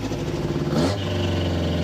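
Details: Rebuilt 350 V8 with two carburettors after adjusting the rear carb mixture screws to cure raw-fuel exhaust popping: burbling idle drops slightly in speed, then settles into an even, steady beat with no popping; mixture now sounds right.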